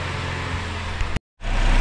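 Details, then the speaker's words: 2008 Saturn Vue Redline 3.6L V6 after timing chain, water pump and oil pump replacement, idling warm about 10 minutes with check engine light cleared: deep, steady rumble with no ticking or rattle; sounds healthy, test drive still pending. "all right I've had to sit here running now for a good 10 minutes or so check engine light's been cleared nothing's coming back it sounds really good"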